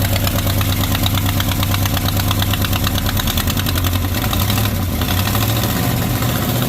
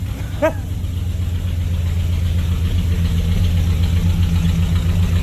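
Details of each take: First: 1970 Chrysler Newport convertible big V8, first run after sitting, owner notes a vacuum leak and possibly no accelerator pump: loud raspy chuffing at every firing pulse at idle, a very bad exhaust leak; lifters fairly quiet. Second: 1970 Chrysler Newport convertible V8, newly revived after sitting, cold weather around 20-something °F, idling: a deep, even, steady low rumble with no stumble or miss. Normal idle.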